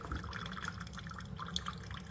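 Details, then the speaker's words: Chefman single-serve drip coffee maker warming up and brewing: soft irregular drips and gentle trickling over a low steady hum, no rattle or strain, quieter than a Mr. Coffee; normal brewing. "It's actually quieter than this one. It's quieter than the Mr. Coffee."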